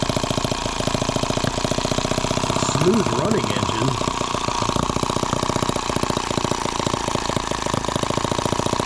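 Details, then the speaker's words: Microcosm H76 small model engine on first start, carb fed with fuel and throttle cracked open; fast popping exhaust beat that stumbles and runs uneven rather than crisp; the spark plug was found soaked in fuel. "well there's our spark plug and yeah it's just drowned in fuel I wish I had a better way to show you guys but it's just I mean how it's soaking wet"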